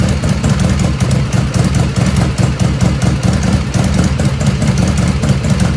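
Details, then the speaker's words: 1985 Harley FXRS Evo cold idle without choke, not at operating temperature: lumpy, uneven low chuffing, stumbling and loping, black smoke; carbs running too rich. "it's not hot the ends is not hot right now but I know I know it's too rich it's it's chuffing you can see a little bit there the black smoke coming out"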